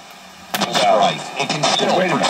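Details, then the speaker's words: Hitachi KS1700H AM/FM radio, speaker working again after a broken wire was fixed; sound harsh and broken up, rasping over the voices, distorted speaker audio; capacitors suspected bad, not confirmed. "the speaker is now working uh not right you can hear sounds like capacitors are bad here and"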